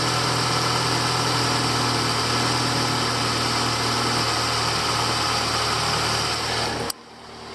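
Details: 2008-2012 Ford Escape 2.5 XLT after replacing belt, belt tensioner and grooved pulley to cure a grinding/squealing noise: steady, even idle hum with no squeal or grinding from the belt side; normal idle, quiet belt drive.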